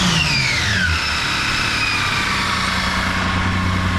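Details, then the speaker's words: Toyota 80 Series LandCruiser after swapping in a repaired mass air flow sensor to cure a stutter; fires straight up, steady idle and clean rev with no stutter or misfire; stutter fixed, running less rich. "Let's start it up. Fire straight up. No problem. And no stutter or idle whatsoever."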